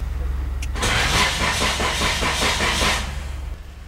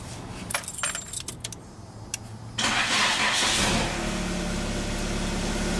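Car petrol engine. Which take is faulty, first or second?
first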